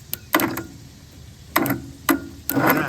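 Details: Toro Z5000 TimeCutter zero-turn mower with Kohler Courage 21 engine and a new battery: irregular sharp clicks, four or five in three seconds, with no cranking as the starter relay is jumped. Rusted contact suspected; solenoid later swapped.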